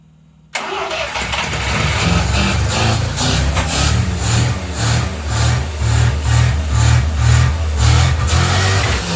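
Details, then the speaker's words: 1979 Mazda RX-7 SA rotary, carb filled with gasoline and revved toward redline: hard rhythmic revving with sharp pops backfiring out of the carburetor. "it's kind of backfiring out of the carb there"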